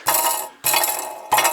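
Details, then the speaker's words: Alfa Romeo GT 2.0 JTS, engine off, exhaust manifold pipe shaken by hand: three short bursts of tinny metallic clinking. Something loose is suspected inside the upper section of the pipe, unconfirmed. "Короче, есть подозрение, что в трубе что-то лежит, болтается."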